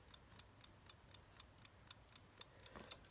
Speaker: it is ticking and it is working it's a nice little set of thomas